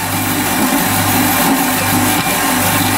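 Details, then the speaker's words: Bandsaw slowly hand-fed through 25mm titanium: a loud, steady cutting roar with a low throb pulsing about every 0.8 seconds under load. Bearings suspected, not confirmed. "I don't like that sound I think the bearings aren't very happy or something's going"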